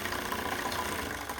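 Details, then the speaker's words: Old Campbell Hausfeld upright airless paint sprayer, restarted after 7 years unused, primed with water: steady even pump chatter with water flowing, no knocks or strain, running normally. "But there it is. Once it's primed, it looks like that, and the water comes out, and your next step is to finish doing a normal paint job."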